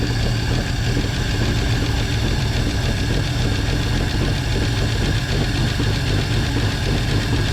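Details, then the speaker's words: 1949 Chevy Fleetline 216 engine after freeing stuck lifters and straightening bent pushrods, side cover off, cold start: fast even typewriter-like ticking over a slightly rough idle that smooths when warm; lifter and valve train ticking, common on the 216. "well it's still let me turn the key off it's still a little rough at idle but once it kind of warms itself up it does smooth itself out quite a bit and everything's moving definitely sounds like a typewriter pretty common on a 216"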